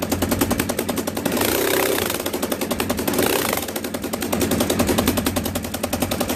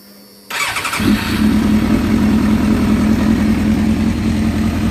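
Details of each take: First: Motorcycle running after losing power on the freeway, fairings off: loud, sharp, rapid ticking and popping like a dirt bike, from a bad exhaust leak at the header ports; the fix is replacing the exhaust port gaskets. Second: After replacing worn exhaust port gaskets and repainting the headers on a 95,000-mile four-cylinder motorcycle, the starter catches and the engine settles at once into a steady, even idle with no ticking or puffing at the headers; loud exhaust leak fixed, sounds healthy.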